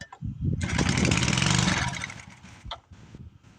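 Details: Ancient estate-sale Briggs & Stratton tiller, possibly 60s–70s, first start attempt: single-cylinder engine pops, runs rough about a second and a half, then sputters out, running on primer only.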